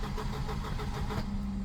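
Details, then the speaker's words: Volvo 240 with K-Jet (CIS) fuel injection, barn find: strong, even starter cranking but engine never catches; owner suspects it isn't getting the right amount of fuel, possibly air-flow plate metering. "oh my God it has never cranked that well before Jesus Christ as you can see though for whatever reason it won't start"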